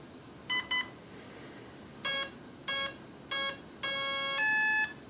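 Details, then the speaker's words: Volantex ASW-28 RC glider ESC on a bench setup, battery plugged in with throttle at full: two quick beeps, three single tones and a long rising pair as the ESC enters programming mode. "you'll notice what's gonna happen is it's gonna beep when I plug this in down"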